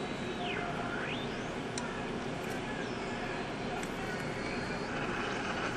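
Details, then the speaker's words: Packard Bell model 35 AM tube radio that sat outside, with earlier added components and hack repairs, coils and tubes checked good: constant hiss with whistles gliding in pitch and no clear station; receiver fault, cause unknown. "it's weird it sounds like there's some activity"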